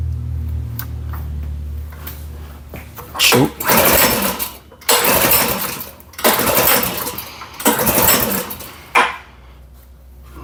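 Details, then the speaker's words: Powersmart snowblower that a customer had tried to fix, fuel valve on, primed with a few pumps: four hard recoil pulls, each a quick rasping whirr that dies away; the engine never catches, so it's a no-start. "Oh, she's not wanting to start."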